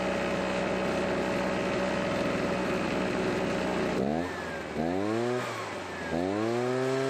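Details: Husqvarna backpack blower, stored for many years, after draining old water-contaminated gas and adding fresh fuel: steady even buzz at high idle, then clean crisp revs climbing and falling smoothly; normal running, carburetor rebuild unneeded.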